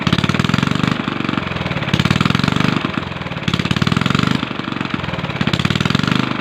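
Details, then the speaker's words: Small gasoline engine hunting up and down about once a second without settling; surging blamed on a rotten carburetor, proven by swapping carburetors between two engines. "Bale ang nakita naman ninyo na dalawa na silang makina Nat taas baba na ang angar"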